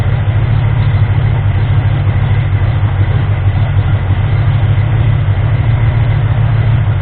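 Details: Ford 351M V8 with a misfire and rough idle, after the distributor was moved slightly. Deep, steady idle, mostly even with only slight unevenness. Idle improved, but the owner suspects the timing is still off; the harmonic balancer timing ring had spun.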